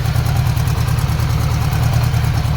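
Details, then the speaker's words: Budget bobber motorcycle build, five-speed, running with a deep lumpy idle and a fast even puffing tick on each firing pulse; owner suspects an exhaust leak at the header gaskets, driveline also clunking. "i'm sure we've got an exhaust leak over here maybe oh yeah"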